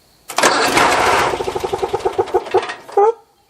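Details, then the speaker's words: John Deere 400 lawn tractor with intermittent no-start, after cleaning old corroded wiring and connections: engine catches and roars briefly, then pulses unevenly and dies; stumbling start, owner suspects the switch or starter. "let's try it again you hear it it stumbled"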